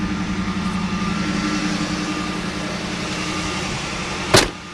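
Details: 1979 Hurst Olds V8, hood open, at fast idle while fairly warm; power steering pump slightly noisy: even, steady rumble with no knocks, misses or hunting; normal fast idle.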